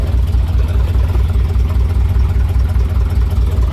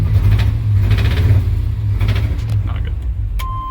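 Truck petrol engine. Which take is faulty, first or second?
second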